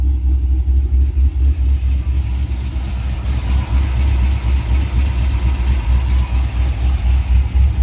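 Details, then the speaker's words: Cadillac CTS-V LS V8 with a healthy cam and what seem to be rusty Flowmasters, heard from the rear: deep rolling idle about four pulses a second with choppy cam lope, quiet even exhaust, no ticks or knocks; normal idle. "i might have to make it a little bit louder this is actually kind of quiet definitely got a healthy cam though"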